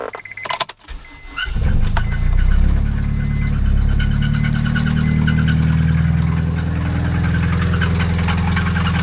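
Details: Acura RSX petrol engine starts and settles into a rough idle with a steady, fast metallic rod knock underneath, after the car was driven without oil.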